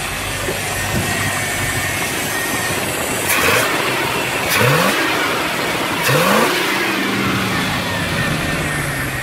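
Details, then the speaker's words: 1979 Dodge W300 Club Cab V8 after sitting 13 years, 180-degree thermostat, still warming up; blips up and settles to a rough, uneven idle with a faint stumble, a slight misfire suspected from spark plug wires; smoking heavily. "it is running pretty good it's still got a little miss that's most likely the most spark plug wires and it revs up pretty good"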